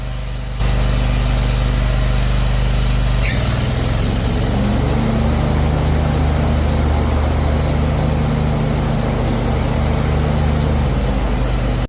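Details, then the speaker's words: John Deere Z950M zero-turn idling with blades engaged after fixing a missing plastic cap that caused metal-scraping noise: steady even low drone, no scraping; light rattle is just caster wheels vibrating, normal idle. "are just these caster wheels, and they'll vibrate like that, like while the mower is just idling, and that'll make you think that you have an issue going on with the deck."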